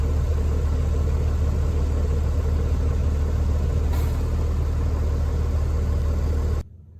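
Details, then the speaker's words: Vehicle after air dryer service test run: steady low diesel rumble with even beat, no hissing or leaking air, air system filling pretty quick; normal engine running with air system charging. "And we're ready to give it a test run. Thanks for filling up pretty quick."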